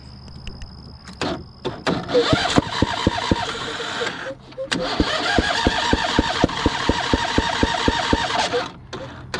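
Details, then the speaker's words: John Deere Z245 zero-turn mower, 454 hours: steady cranking about four beats a second with sharp pops backfiring through the carburetor, never starts; suspected dirty carburetor and valves needing adjustment, unconfirmed. "well we got it cranking we'll have to figure out why it's uh backfiring to the carburetor could be valves it could be the carburetor"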